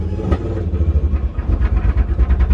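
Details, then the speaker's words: Rough running misfire on an LHD Nissan S14 (180SX) with Haltech ECU: revs surge unevenly with choppy, stumbling pulses like a lawnmower, from fouled, fuel-soaked spark plugs. "It is running like shit. It does have fueled up plugs. So it sounds like a lawnmower at the moment."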